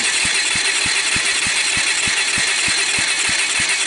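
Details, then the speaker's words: Kawasaki Bayou 220 ATV, about 1988, cranking on the starter: even beats about three a second with soft, weak puffs and no firing; compression under 30, caused by valves adjusted too tight. "poppy sound but it seems to be popping out the gust I'll I'll take the compression but I don't think it's going to be real worth talking about"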